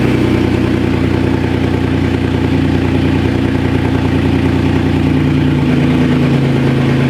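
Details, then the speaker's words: Porsche Cayman salvage rebuild with newly fitted transmission and bled clutch, first start: smooth, even engine beat with steady low hum, no knocks, ticks or misses; engine running healthy. "the engine sounds good so that's that's amazing that's really good that's a good sign"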